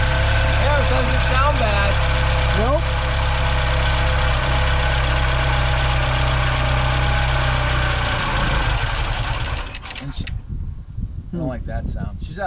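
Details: First start since 2014 after long storage: engine catches and runs unevenly with a lumpy beat about four times a second, then fades and stalls after eight seconds; cause unconfirmed.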